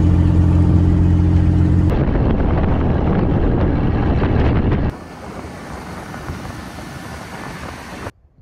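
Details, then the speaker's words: GMC truck left sitting about 10–15 years in a container, started after a day's work: loud, raw, blatting idle with harsh rasp instead of a muffled hum; exhaust pipe disconnected at the manifold, venting open, to be welded up later. "again it is a little loud"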